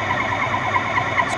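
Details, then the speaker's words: Lathe turning a relief cut on a trapezoidal tap blank between centres; steady mid-pitched ring with fast even flutter; moderate chatter from the wide cut width, normal for this tool and setup. "On entend un bruit de vibration, d'accord? Ce qui est tout à fait normal pour ce genre d'outil, d'accord?"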